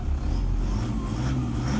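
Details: 2013 Toyota Hilux 1KD-FTV diesel with DLC injectors, warm, complaint of rattle, load reading about 15: short clean free rev with smooth low rumble and no rattle or knock; normal free rev, owner believes injectors are not the cause.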